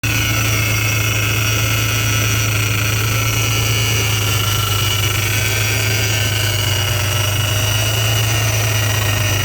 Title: Vortech V3 Si Noise (bad bearing)